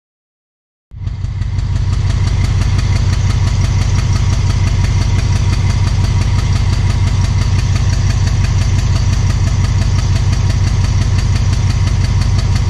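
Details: Alsthom diesel locomotive of Thai Railway emitting black smoke at idle: heavy steady low chugging around three beats a second with a hard knocking edge; abnormal idle, cause unknown.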